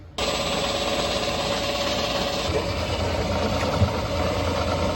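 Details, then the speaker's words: Boat with newly installed prop shaft, coupling, carrier bearing and water-fed cutless bearing, run with no load at around a thousand rpm; even, steady low-throttle run with no knocks or rattles or vibration, normal. "okay there don't see any vibration seems like it's doing pretty good I think we got it"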